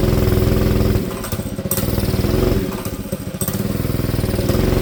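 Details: Honda GX engine from a tiller, on a Manco Streaker mini bike: single-cylinder putters roughly, sagging when throttled instead of picking up; lean bog, only moves under choke; later 125 jet removed the bogs.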